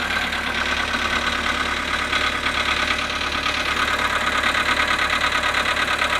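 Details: VW Polo sedan, cold start at -7.5 °C after sitting 12 hours. At cold idle a steady, dull knock repeats about three times a second over the engine hum; cause unclear.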